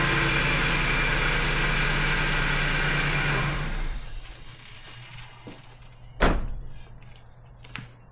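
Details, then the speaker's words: 1996 Ford F150 after replacing badly corroded 30-year-old battery cables that caused hard, slow cranking; engine turns over quickly and catches strongly, runs a few seconds then shuts off with clunks; normal cranking and start after repair. "See how much faster it uh it cranked over and started."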